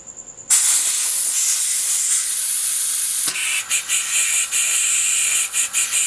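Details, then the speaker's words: EDgun air rifle being filled, gauge creeping up: sharp steady high hiss starting suddenly, later sputtering in short pulses, air escaping past a damaged fill-probe/fill-port O-ring; air leak from worn O-ring. "So let's go ahead and fill the gun and see what it sounds like with a bad O-ring on the fill probe."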